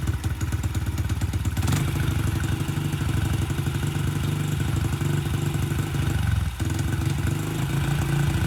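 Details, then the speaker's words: Honda CRF70F on a newly installed stock carburetor idles unevenly with a brief dip. The owner suspects an air leak because the pilot screw must be almost fully screwed in. The cause is not confirmed. "I think there might be an air leak and that's why this pilots crew has to be almost screwed all the way in"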